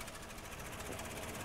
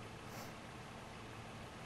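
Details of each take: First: 2007 Toyota 4Runner V6 with code P0016, idling: runs very rough, shaking and misfiring, nearly stalling while the scan tool commands bank two cam timing advance, then returns to normal when released. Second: 2007 Toyota 4Runner with P0016 cam/crank timing code, at idle: quiet, even low idle hum with no knocks or misses; idling normally.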